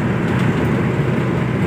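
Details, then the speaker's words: Maruti Omni driving after crown (differential) bearing replacement: smooth, steady low rumble with no whine or growl from the rear, only wind noise; differential sounds healthy. "यह देखो इतनी प्यारी चल रही है गाड़ी और यह देखिए कोई आवाज नहीं बिल्कुल भी जैसे ओरिजिनल कंपनी से आती ना वो आवाज है गाड़ी की"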